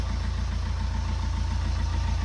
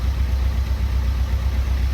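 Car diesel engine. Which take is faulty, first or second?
second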